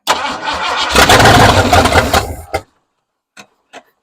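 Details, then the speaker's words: 1968 Ford F100, sat over five years, new Holley carburetor, temporary boat fuel tank: cranks, catches, runs rough at a fast uneven idle about a second and a half, then dies; fuel pump suspected not pumping — fuel starvation stall. "Running out of fuel already. Fire it up. Fire it up. Fire it up. Is it getting fuel? I don't think that pump's pumping anything."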